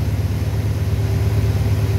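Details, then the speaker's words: 1931 Lincoln K V8, already warm, on hand high-idle control linked to throttle, about 1800 rpm: smooth deep even rumble held steady at raised speed, no knocks or misses; normal high idle. "And then you have a high idle. You can hear it's directly linked to the throttle, but you can't see the throttle move."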